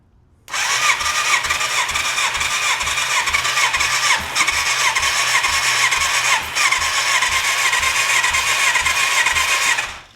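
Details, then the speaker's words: 1987 Yamaha FZ700 pulled from the woods after long sitting, fuel pump starving: about ten seconds of whirring starter cranking, three to four pulses a second, faint pop or two but no run; spark present, compression next suspect; cranks but won't start. "Well, it hiccuped. That should have given me something more than that, though."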